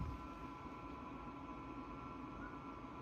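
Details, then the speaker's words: Dyson HP09 Purifier Hot+Cool Formaldehyde, Japanese unit, at fan speed 3: quiet airflow hiss under a loud, steady high-pitched motor whine, unlike a new unit that is quiet. Needs repair; cause not confirmed. Motor whine. "So even though it's only fan speed 3, and the actual air in the fan is very quiet, you can't hear it. Sadly, the motor itself has this very annoying, loud whine."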